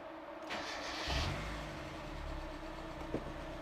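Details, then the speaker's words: Mazda Miata after an oil and clogged-filter change and pre-priming oil pressure: petrol engine cranks, catches and settles into a steady idle, with the previous valve tick much reduced. "I can already hear that the valve tick is much better I don't know what was going on before"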